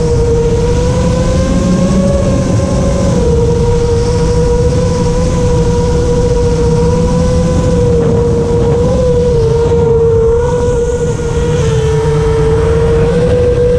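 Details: FR7 quad after tuning with D-min off (D-min had caused raspy, carbon-like resonating motor noise), RPM filter on at 1.5, master slider 1.4, dynamic idle 15: steady high motor whine rising and dipping smoothly with throttle, clean, no rasp; motors healthy.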